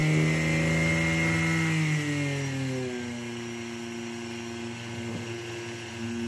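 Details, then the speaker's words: Brushless (BLDC) motor driven by an ESC under STM32 PWM control (1–2 ms pulse, potentiometer throttle), ESC calibration beeps done; smooth clean whine with no roughness, pitch sliding down and settling as throttle changes; normal brushless motor run. "let's rotate the motor you can judge the speed by listening to the sound it is making"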